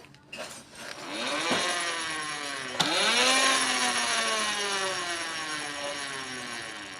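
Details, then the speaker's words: Honda Astrea Grand engine: loud whine (dengung) climbs in pitch with each rev and sags as it slows, likely from primary gear damage after careless installation. Clutch housing is new but the small gear is the old one. "suaranya semakin kencang kita putarkan maka ngiungnya itu semakin kencang ya teman-teman"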